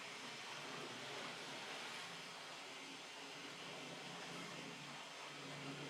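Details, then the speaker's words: Hornby TT:120 "The Easterner" locomotive running alone on track: quiet, even motor whirr with no stutter or grinding; smooth, healthy running. "Okay, we got through okay that time. Maybe there's an issue with the initial railing of the locomotive. So it's smooth."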